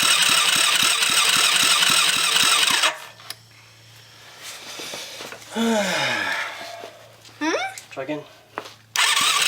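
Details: Kids' 110cc quad after full rebuild, new battery: brisk, regular starter cranking with even compression beats but no firing stroke; fuel not coming through, with spark present, owner unsure if immobilizer is involved.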